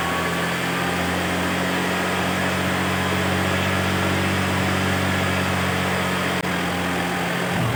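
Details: Carbureted Honda Vario scooter with weak battery, idling about 2 minutes to charge the battery; smooth, steady hum with no knocks, rattles or stumbling, normal idle.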